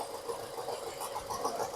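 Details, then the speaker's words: Renault Duster four-cylinder petrol, engine rebuilt elsewhere and through several workshops: starts and idles with heavy, lumpy misfire and irregular stumble; pulling injector plugs on cylinders 1 and 2 makes no difference, pointing to crossed injector wiring. "गाड़ी start हो गई। बहुत तेज missing कर रही है।"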